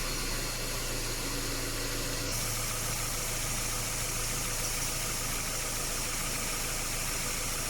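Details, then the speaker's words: Subaru, after repairing a leaking evaporator, draining and refilling compressor oil and recharging refrigerant to spec: steady hum and air rush over an even idle; compressor cycles normally, vents 6.4/7.9 °C left/right, compressor noise now quiet. "คอมแอร์ตัดต่อปกตินะคะความเย็นซ้ายขวานะคะก็ได้อยู่ที่6.47.9นะคะอ่ะREเสียงคอมแอร์ก็เงียบลงนะคะ"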